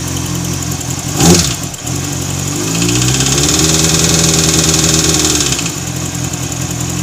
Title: zx6r strange noise. Bent valve?